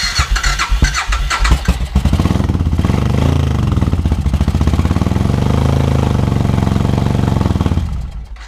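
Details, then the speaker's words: 2000 Suzuki Intruder 1400, reportedly low compression, old fuel in tank: cranks, catches raggedly, then lumpy uneven beat stumbling; misfire with one exhaust header cold, owner suspects fuel delivery issue, spark confirmed. "So I still think we have a fuel delivery issue. Let me check and see if we actually have fuel going down there. We know we have fire. It sounded like a misfire, but I put my hand on this header."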